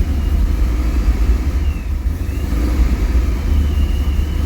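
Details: Corvette Z06, 6.3 stroker with A&A supercharger, after a fuel pump upgrade, running rich: deep steady rumble after start-up, no misses or mechanical noise; normal start and idle.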